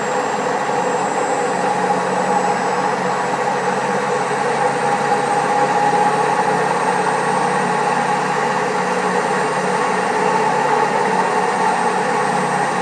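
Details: Old Servis Caress 1300 A washing machine, also with a creaky pump, spinning at 1300 rpm: steady loud rumbling roar with a faint whine on top throughout the spin; very bad drum bearings.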